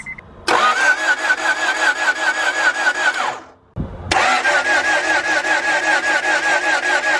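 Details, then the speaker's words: Honda Prelude H22, bought front-wrecked and never run in nearly two years of ownership: two long even cranking spells at three to four beats a second, never catches even with starting fluid; fuel reads present; cranks but no start, cause unknown. "spray some more nope starting fluid does not make a difference it's saying we got gas i don't know guys"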